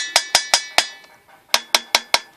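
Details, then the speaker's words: Water heater's portable expansion tank (should be at 80 psi), tap-tested beside a relief valve set at 150: sharp, bright metallic taps in two quick runs, hollow at the bottom; the tank check sounds as expected. "You want to make sure that it is at 80 psi. You hear that? It should have that hollow sound at the bottom."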